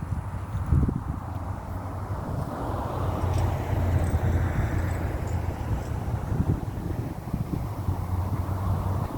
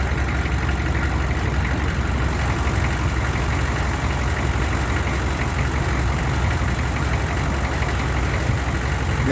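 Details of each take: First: 1994 Chevrolet C3500 HD 6.5 turbo diesel, cold first start of the day: long rough cranking before it catches; owner suspects injection pump losing prime, code 36; new lift pump, filter, glow plugs and batteries fitted. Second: 1994 Chevy C3500 HD 6.5 turbo diesel, warm after running for the day: a smooth, steady idle; hard-start problem only occurs cold, code 36.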